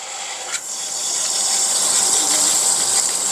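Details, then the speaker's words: Semi-jet water pump with Shimizu APC, tap closed: steady rushing water hiss and even motor hum, no knocks; current drops slightly below 1.9 A open-tap draw, no amp spike, judged safe. "Jadi ini menunjukkan bahwa ketika pengoperasian ya sama ketika dia mati itu tidak ada terjadi lonjakan amper ya kanan."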